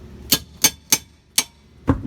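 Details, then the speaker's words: 2004 Mazda Tribute rear drum brake, drum spun by hand: crisp, light ticks about three times a second as the shoes just kiss the drum. This is a correctly adjusted brake. "Hear that? That's a good adjusted brake."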